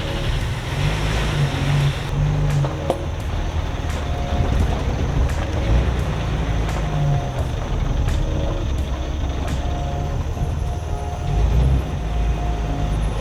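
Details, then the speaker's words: 2003 Jeep Wrangler TJ test drive after transmission replacement: steady low driving rumble through the gears with no whine, grind or clunk, earlier noises gone; drivetrain running quietly. "All right, no noises like the last time. Let's see if we can fit. A little noisy in there. All right, first gear, second gear, nice and quiet."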